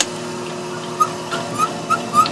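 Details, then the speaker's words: Belt-driven refrigeration test bench, two-piston compressor starting up: short high chirping squeaks over a low steady hum; owner unsure if it is normal for this type or a worn compressor, which later knocks once per revolution. "you can hear that squeaking already now I don't know if that's a characteristic of these compressors in general or if uh or if um it's just this particular compressor it's a little wore out"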